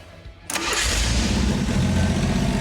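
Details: '78 Postal Jeep with carb, new fuel system and custom exhaust, first fire-up: brief crank, fires at once, settles into smooth, steady low idle with no stumbling or knocks; runs good.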